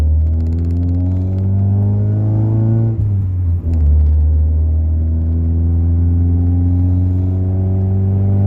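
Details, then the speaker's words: Honda Accord CD5, 2 3/8-inch cat-back with no muffler, only the catalytic converter, heard inside the car: hard second-gear pull with rising pitch, a shift, then deep loud drone at cruise and deceleration. "So, like, there is no muffling to this system at all. I think the catalytic converter is literally doing everything. So we'll get some inside shots. There you can hear the drone."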